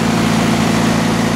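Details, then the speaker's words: MEP-004 military mil-spec diesel generator, converted from 3-phase to single split phase, running after fueling and start: steady, even diesel drone with low unbroken rumble, no knocks or misses; running smoothly, normal. "Running right along. Quality, baby, quality. I will have to say, never heard of them before, but it is quality crap, I'll tell you that."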